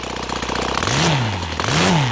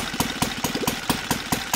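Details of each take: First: OS FT-300 twin converted to gasoline with CH ignitions, 21x8 Xoar prop (idle 1200-1400, WOT 7000 rpm), after raising the idle: three clean rev-ups from idle with no stumble or hesitation; smooth throttle transition. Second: OS FT 300 converted to gasoline with CH ignition, Xoar 21x8 prop, target idle 1200-1400 rpm: slow, loping idle at about four to five soft pops per second, burbly, low-speed mixture too rich.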